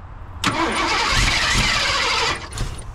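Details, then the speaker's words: 1987 Ford F150 converted from EFI to carburetor and HEI distributor; with three spark plug wires still unplugged it catches with a rough, uneven roar for about two seconds, then sags and dies while running on five cylinders, a misfire. "come on baby oh dog G it that joke was running on five cylinders uh I got three spark plugs I ain't even got plugged up"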